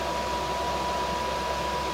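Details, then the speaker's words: Newly installed diesel heater in a camper van running after startup with hot air coming out: steady rush of fan air with a faint constant whine, smooth and unbroken; normal running. "Alright, she's running. We got hot air coming out."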